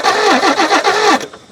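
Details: G60 Nissan Patrol that sat for years: starter cranks in about six even pulses for just over a second without catching; cranks but won't start, no spark found, spark plugs suspected dead.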